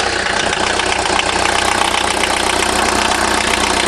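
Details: VW diesel after cylinder head replacement and tightening of loose injectors: loud, steady diesel clatter at an even idle with no misfire or stumble; healthy idle.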